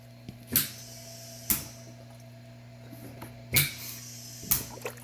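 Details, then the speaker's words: DIY emergency automatic ambu-bag ventilator (version 5): with PEEP/emergency vent water column reduced, overpressure immediately vents through the water column, producing a short bubbling gurgle about once a second over a steady low hum; normal pressure relief, max about 30 cm water. "you go so overpressure it in the system immediately vents out anything over the centimeters of water that we got in there will immediately vent out"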